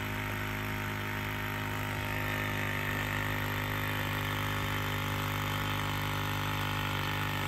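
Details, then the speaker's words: 1999-2007 Ford Super Duty F-250/F-350 Power Stroke 7.3/6.0, vacuum system reconnected after leak diagnosis: electric vacuum pump runs with a steady hum and low drone building vacuum, expected to cut off quickly now it holds vacuum. "it should cut off pretty quick now because it's not working to make vacuum like it was"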